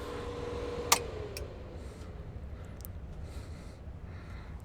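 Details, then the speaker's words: Marantz 2500 receiver during restoration, switched to full power through a fused dim-bulb tester: the relay clicks as its contacts pull in, then the fan's whoosh eases into a faint hum. Normal soft-start. "there it is and you hear the fan turn off and if you look right here at our relay see if we can zoom in you can see that the contacts have pulled in so the unit is soft started and the fan died down"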